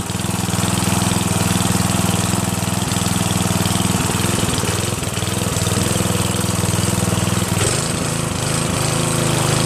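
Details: Northern Hydraulics pressure washer, Briggs 3.5HP, sat 8 years, started on starter fluid sprayed into the air cleaner and run dry without water; fast, even single-cylinder patter with no misfires or surging. Normal running.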